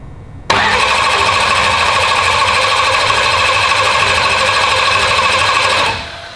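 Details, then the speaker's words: Turbo race car's start after cranking to build oil pressure, checked for fuel and oil pressure: it catches on the first crank and settles into a loud, steady, even run with no knocks or misses; normal start and idle. "Oh man, how badass that started. Dude, that thing is wicked."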